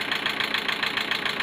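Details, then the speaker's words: Petrol engine after a head gasket replacement, warm idle: a sharp steady top-end tick of about seven per second; it idles smoothly when cold. Two valve buckets were replaced and the timing was not fully set. The owner suspects the tensioner or overfilled oil. "Ale mam kłopot, kurde, ponieważ jak zimny, to chodzi równiutko. Jak jest ciepły, to cyka, nie?"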